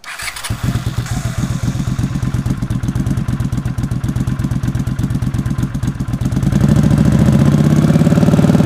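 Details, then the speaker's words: Honda CX500 scrambler with 2-into-1 exhaust: uneven lumpy idle with stumbling coughs, smoothing as revs climb; off-idle cough, worse near idle than under load, owner suspects unsynchronized carbs and out-of-spec valve clearances. "When you're riding it, once you get it under load, it's not so bad, but around idle, just off idle, it is very pronounced."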